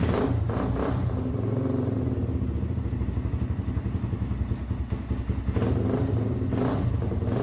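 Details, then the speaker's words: Kawasaki Z400 quad after a new one-way bearing and reinstalled stator with new gasket: slow, uneven cranking with a labouring clatter before it catches; the starter motor is failing. "i think it's the starter [Music] all right so we found out the starters actually what's going bad"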